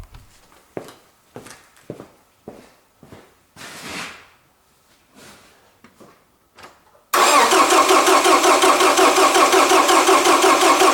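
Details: Toyota Camry with a better battery connected: quiet clicks then fast, even starter crank around three turns a second, strong and steady, but the engine never catches because the gasoline tank is empty.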